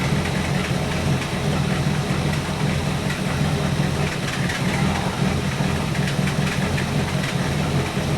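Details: 1964 Buick Electra 225 401 Nailhead V8, warmed up, idling after Carter AFB rebuild; lumpy idle with occasional stumbles where it drops out as dwell reading dips. Intermittent misfire, ignition suspected, unconfirmed.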